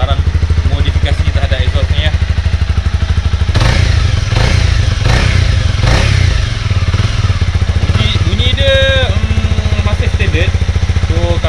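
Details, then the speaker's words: Honda CB250R single-cylinder, after two years of owner use, still on the unmodified stock factory exhaust: a steady, even putter at idle with a few light throttle blips and no knocks or rattles. A healthy normal idle. "So saya still menggunakan exhaust standard."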